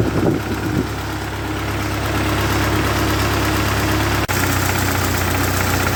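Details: 1948 Ford 8N tractor fully warmed up after rebuild, nearly out of fuel: the engine ticks over at an even, settled beat with no knocks or misses. It is idling cleanly and running good.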